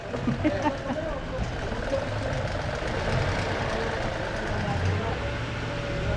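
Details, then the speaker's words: 2016 Toyota Sequoia 8-cylinder petrol engine, previously cranking with no start and fuel-soaked spark plugs, now started and idling smoothly and steadily with an even low hum, no misfires or knocks; residual smoke present; normal idle. "So yun Ayan so ayun na nga mga kasero umandar na yung makina Ayan oh umandar na siya"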